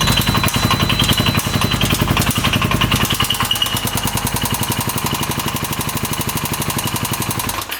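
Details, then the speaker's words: 2015 Polaris Ranger 570 4x4 UTV that the seller said wouldn't run, after valve clearance adjustment: heavy, hard knocking at nearly four a second with a screech on revving, fading at shutdown. Bad internal knock, owner suspects a bearing. "Yeah, that sounds pretty bad. Alright, so unfortunately it was not just the valves. We could hear it knocking pretty good."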